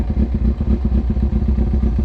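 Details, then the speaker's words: Carbureted Kawasaki Ninja ZX6R after a rebuild, warmed up with the choke open and idle set to 1000 rpm; it runs poorly when cold. A steady, even low putter with no misses or knocks: normal warm idle. "And when this engine warms up, it runs fine. That's just how carbureted bikes are. And I had the RPM set for 1,000 RPM, so it doesn't stall out whenever you come to a stop."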